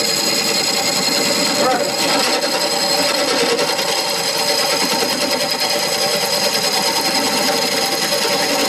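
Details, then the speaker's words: Beginner's woodturning lesson, gouge on spinning wood without the pumping from an aggressive approach: steady, even hiss with no chatter or tool-rest rattle; a clean, smooth cut with a perfect approach. "Now if you look at what you just did, you're going to see a night and day difference from what I just showed you on the cuts on that, where you're fairly clean right now. You can tell because you're really not fighting it as much, and the cut is coming up just smooth."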